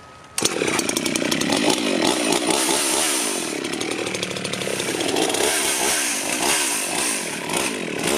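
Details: Rebuilt Husqvarna 51 chainsaw felling a tree: strong, steady high two-stroke buzz holds evenly through the cut, no bogging or surging; running well, though owner wants to check the bar oiler.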